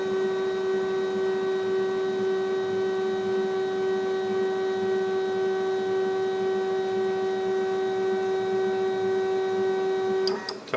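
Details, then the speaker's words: CNC machine homing cycle: a steady stepper motor whine for about ten seconds, then sharp clicks as the axes bounce off the home switches. Normal homing. "when it does it if you listen closely you'll hear the as it bounces off the home switches you can hear them click"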